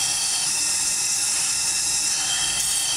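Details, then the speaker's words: 2003 Porsche 996 Turbo boost leak test: shop air fed in, steady high hiss rushing through to the intake side past the check valves, which are blown and leaking boost. "put some air in there you hear it coming through the other side let go"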